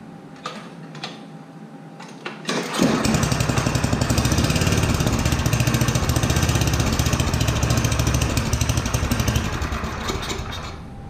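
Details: Yard Machines 8hp two-stage snowblower, unserviced for years, 45 psi compression, primed and choked with little gas; fires after a few pulls and idle rises and sags in slow waves: hunting idle from a most likely clogged carburetor idle circuit, carb to be cleaned.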